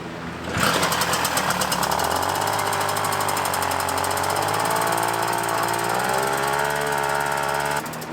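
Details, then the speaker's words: Puch Maxi moped, 50cc two-stroke, fully cold start in cold weather after tuning: catches at once and settles into even crisp buzz, no misfire or hunting; normal cold start and idle. "and then the other thing was reliability and I'm about to show you I mean this really is a a 100% complete cold start watch this"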